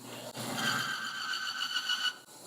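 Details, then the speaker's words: Demo engine simulator running with dry oil pan, no lubrication; piercing, steady high-pitched screech as shaft grinds against bearing metal-on-metal, then the engine locks up. "so if you hear that noise there that's screeching noise high-pitched screeching and then boom your engine's locked and that's what would happen if you had two metal components that were contacting each other with no lubrication"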